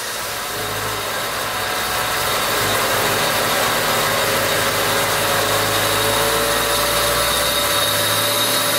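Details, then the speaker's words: Honda Civic EG project with swapped engine, test run after reassembly checking for strange noises: steady, even, smooth and solid idle with no knocks, ticks or rattles; engine finished and runs normally. "oke mantap mesin pun sudah selesai dan sudah bisa hidup dengan normal"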